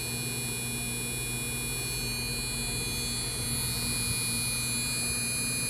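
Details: MSI GTX 1070 Gaming X 8G, four days old, in an i5-2500K PC with 650 W PSU, running Dragon Age Inquisition on Ultra at 1080p (~60fps): steady electrical buzz with thin high tones over low fan hum under load.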